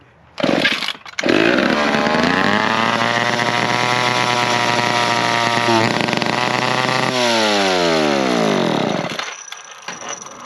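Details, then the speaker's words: McCulloch 10-10 two-stroke chainsaw, throttle linkage bent to stay in trigger, needs an air filter, possible air leak unconfirmed: screams at high revs without dropping to idle, slowly winds down; stuck high idle, cause unknown. "getting it all dialed in and uh got at the start but the problem is it just stays revved up"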